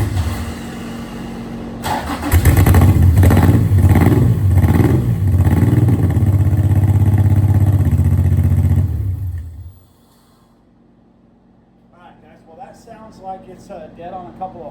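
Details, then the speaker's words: Honda J35 V6 sandrail engine, sat a while, after fuel pump delivery fixed: fires lumpy and uneven with stumbling, loping idle before shutting off; dead on some cylinders, stuck injector suspected. "Um, this motor's been sitting a while. It could be a stuck injector."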